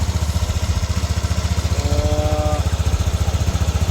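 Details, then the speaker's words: Yamaha NMAX V1 scooter after replacing the exhaust rocker arm: an even, steady idle with no metallic rattle over the engine. The earlier rattle is gone and it runs smooth and healthy. "All goods. Wala na yung kalansing na kanina."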